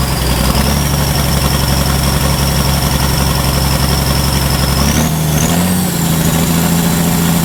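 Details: Ford 5000 tractor with a swapped-in Ford Brazilian 7.8 six-cylinder turbo diesel, early run after first fire-up, long-sat engine burning off water vapor: deep, even diesel idle rumble with a faint turbo whistle, no knocks or misses; running fine.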